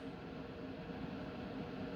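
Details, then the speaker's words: Coway AP-1008CH air purifier at fan level two, slow to ramp up: steady even whoosh of airflow with low hum and no rattles or rubbing; normal fan noise. "as you can see here is the number one sounds like this then here is second level takes a while to ramp up"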